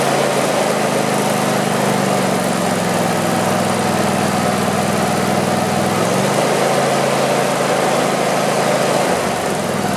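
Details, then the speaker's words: Craftsman YT4000 lawn tractor with a twin engine, after sitting in a barn for years, runs with a steady, even drone after restarting and no knocks or misses. It sounds healthy and may only need a cleanup and a carburetor clean. "Sounds pretty good. So not bad. I think I just need to clean it up a little bit and maybe clean off the carburetor a bit."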